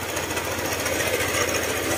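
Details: Honda ADV150 scooter idling with seat removed, fast steady metallic clatter like a tiny jackhammer; top-end valve train knock from worn camshaft, though another shop had blamed crankshaft side bearing.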